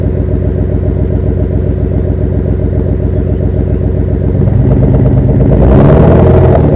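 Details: V6 exhaust at idle, coils, plug wires and spark plugs checked OK, no power: heavy, lumpy beat stumbling unevenly, then a rev; misfiring, owner suspects O2 sensor, knock sensor or power transistor, not confirmed.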